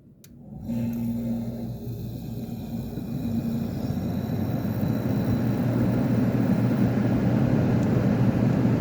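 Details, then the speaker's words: Kenmore (Whirlpool) 10K medium-chassis window air conditioner, fan needing thrust washers: compressor, possibly Tecumseh AK, Copeland or another make, kicks on and settles into a steady smooth low hum with faint whir; normal compressor running. "I don't know. That didn't sound like a AK. Maybe a Copeland. Maybe a Seagar."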